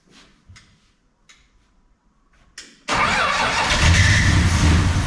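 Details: 1969 International C1100 pickup repowered with Valiant 265 Hemi, after sitting years, on mechanical fuel pump, carb primed: several cranks, then fires and idles lumpy and stumbling; rough running, owner suspects lifters pumping up or dodgy spark plugs.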